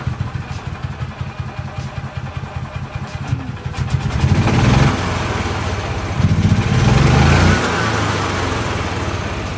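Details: 2013 gas-powered golf cart with electric start through the gas pedal, in neutral, after repair work: starter churns briefly, then the single-cylinder catches and settles into a steady, even putter; starts and runs fine.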